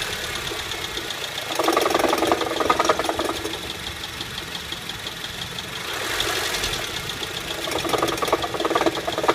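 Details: 2008 Honda Civic at idle after light revs, uneven knocking clatter swelling and fading in bursts every few seconds; failing AC compressor bearing, later seized, compressor replaced.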